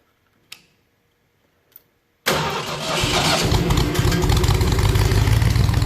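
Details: 302 V8 engine driving an air compressor, plug wires re-ended for the cap, previously run to 160 degrees operating temperature with 9 psi fuel pressure: a few clicks, then fires at once into a smooth, even low idle with no misses or knocks; healthy start.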